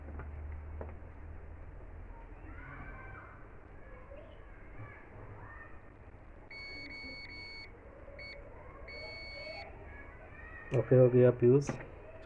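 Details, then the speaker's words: 2kVA UPS charger card repair: multimeter in continuity mode across the refitted fuse gives a few short thin high beeps on a quiet bench, so the fuse is good. "चलिए एक check test करते हैं। Fuse ठीक है।"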